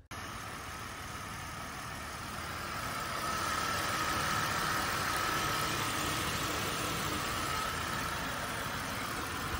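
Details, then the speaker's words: Flooded Buick Rendezvous from a Copart salvage auction, drive-by-wire, revved lightly from inside the cabin: engine picks up smoothly and holds a clean, even roar with no knocking or slapping; sounds perfect. Normal revving. "seems like it's running really well actually oh that sounds perfect"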